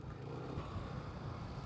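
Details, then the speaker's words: $100 Marketplace scooter on its first ride in years, after a new rear tire and oil and final-drive gear oil change: uneven low clatter over engine and road noise. The muffler was rattling because a mounting bolt was never put back in. "It might be the muffler. Yeah, the muffler's a little rattly. I wonder if I didn't tighten one of the bolts down."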